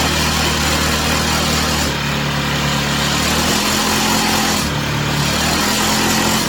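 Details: Chinese/Amazon mini bike's small single-cylinder engine on first start after fresh oil, run on a table: steady, even idle buzz with no stumbles or rattles, smoke stopping, rear tire spinning; normal, healthy idle.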